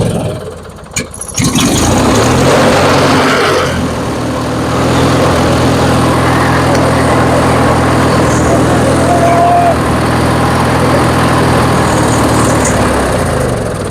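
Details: Twin-cylinder Craftsman riding mower after new ignition coil installed to cure no-start, still on old gas: brief crank, then catches and settles into a steady, even run; ignition firing properly, normal running after repair.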